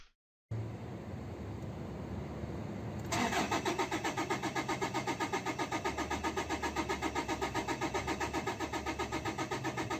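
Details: 2013 Toyota Hilux 3.0 diesel cranks strongly at about four pulses a second but never fires; scan data showed fuel rail pressure not changing at all, and no-start began once fuel gauge fell below half.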